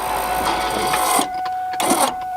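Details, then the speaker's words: Mustang convertible top hydraulic pump cycling the top up and down after replacing the rams, adding fluid each cycle: steady mid-pitched whine with rattly surges as air is still pushed through the lines, cycled until it quiets. "until it completely quiets down and then we know or until it won't take any more fluid essentially"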